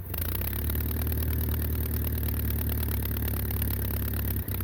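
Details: Massey Ferguson 35 Perkins diesel tractor idling after a low-cost rebuild (broken, brittle, missing piston rings had been found): steady low diesel chug at an even idle, no knocking or missing beats, healthy-sounding.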